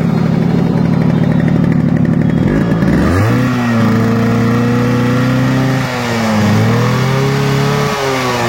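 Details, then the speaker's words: Yamaha RX100 two-stroke before restoration: starts and revs, ragged uneven running with unsteady beat; condition very bad, engine then fully rebuilt (rings, piston, connecting rod) — rough worn engine. "তো বন্ধুরা, বাইকের সাউন্ডটা শুনলেন, sound শুনে বুঝতে পারতেছেন বাইকের condition খুবই খারাপ। ইঞ্জিনের কাজ করতে হবে,"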